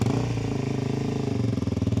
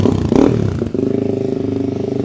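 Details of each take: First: 2006 Suzuki DR-Z400SM single-cylinder, bought non-running: uneven lumpy thump that sags and cuts out; it bogged above roughly 3,000-4,000 rpm, lacked power, idled too high and broke down. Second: 2006 Suzuki DR-Z400SM single-cylinder, possibly warm enough not to need choke, after converting from the old carburetor to an FCR carb (52 pilot, 155 main jets, 9 mm float height) with 5×4 airbox and Yoshimura full exhaust; after a blip it settles to a steady, even tickover with no misses or clatter, running sweet.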